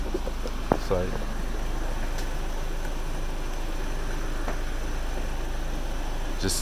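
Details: Truck cranking on jumper cables after electrical connectors were cleaned: starter turns the engine steadily but it never catches, same no-start as before; owner suspects a starter cable or loose connection, one found loose.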